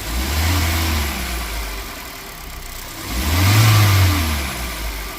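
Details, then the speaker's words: Hyundai i20 diesel after service with common rail and air intake refitted: even idle then two clean throttle blips rising and falling smoothly, no knocks or rattles; running well. "बढ़िया चल रहा है अभी।"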